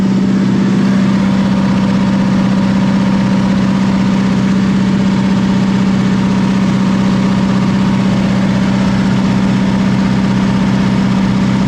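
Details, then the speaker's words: 1979 Ford F150, 300 straight-six, C4 automatic: fast even steady idle around 1800–2000 rpm, no hunting; high idle, throttle won't close fully, carb needs rebuild, owner suspects vacuum leaks from unplugged vacuum lines. "doesn't idle down it won't close all the way I guess that's why carve definitely needs a rebuild there may be a vacuum leak"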